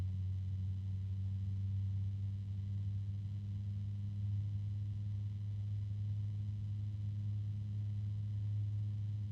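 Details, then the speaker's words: PC case fan on its low setting, turned around: steady low hum near 100 Hz, a tonal harmonic resonance; owner first assumed the bearing. "is I think that's a harmonic resonance right now"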